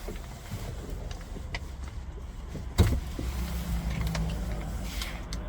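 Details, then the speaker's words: 2010-2018 Toyota 4Runner after programming an additional key fob: a single lock thump, then a steady low motor hum as a window runs; the new remote works normally. "here we can see it's working and it's all good to go repeat the steps if you have more keys to program"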